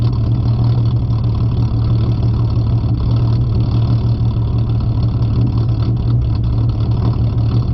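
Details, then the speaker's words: Ford Mustang 4.0 V6, no cats, idle chop tune set to 725 rpm, in park at a red light during a road test, rpm fluctuating 690–790, less than at 675: deep, loping idle with a slightly uneven chop, cam-style lumpy idle. "we're in park now the rpms i would say 690 to 790 is where it fluctuates it doesn't off fluctuate as much as when it was at seven i mean 675."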